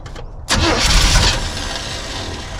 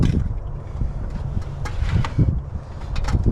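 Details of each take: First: 1976 Chevy K10 V8, ex-mud truck parked about 10 years, first start: after a short crank it catches into an uneven, lumpy idle; rough running, owner thinks ignition timing is a little off. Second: 1976 Chevy K10, former mud truck parked about 10 years, after first start: old V8 settles into a low, even idle with steady firing pulses, then picks up with a couple of revs; timing suspected slightly off, otherwise decent engine; normal idle.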